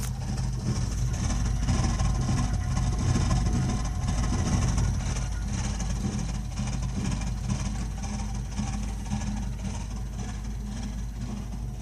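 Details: Burnham Alpine ALP150W gas-fired boiler, 3 years old, frequently makes this noise while firing: deep, uneven rumble with a loose pulsing flutter under faint fan hiss. Abnormal rumbling, cause unknown.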